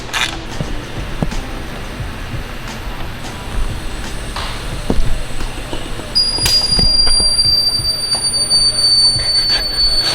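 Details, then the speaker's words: Nissan S13 on dyno, boost leak test at about 7–10 psi per MAP sensor; shrill steady alarm-like whistle as air escapes past carbon intake plate too weak to hold pressure. "sounds like a freaking fire alarm how much pressure is that you know we could actually turn the ECU on in the map sensor will tell me what are we at for pressure right now 7 8 10 okay so looks like my iak plate being carbon isn't strong enough to actually hold up to the pressure"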